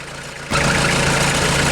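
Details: 1996 Mitsubishi Delica L400, 2.8L 4M40 diesel, first start after head gasket replacement: catches and holds a steady, even clatter at idle with no misses or surging. Nothing is blowing out of the water yet. A sound, healthy idle.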